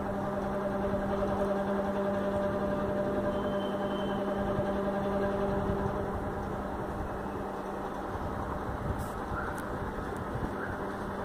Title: USHA Chota Bheem noise issue, noisy fan